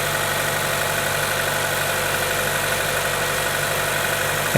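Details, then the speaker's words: GM Ecotec 1.4L turbo (Cruze/Sonic), warm idle, code P0171: faint airy whistle at PCV orifice port, vacuum leaking through failed PCV diaphragm in camshaft cover; fix is replacing camshaft cover. "f it's going to be enough if you can hear it some times it's it's really loud you can hear like a whistling noise if you put your finger up there"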